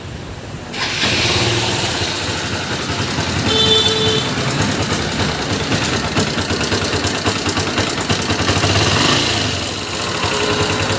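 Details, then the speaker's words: Honda Unicorn motorcycle engine, owner says it sounds very bad, before teardown: after it fires, a busy metallic rattle and ticking rides over the idle and revs; suspected timing chain and rocker noise. "Honda unicorn ইঞ্জিনের সাউন্ডটা প্রচণ্ড খারাপ হয়ে গিয়েছে।"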